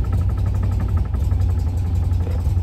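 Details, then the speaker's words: Classic car with BlackBox 3 programmable ignition, idling in the 800s rpm: pinching the vacuum hose drops vacuum advance to zero and leaves only 10° initial advance, so the idle turns heavy and labouring as if choking, then recovers when released. "so I'm doing nothing but just pinch that quickly and immediately you can hear it's just going to choke up Let Go comes back to life"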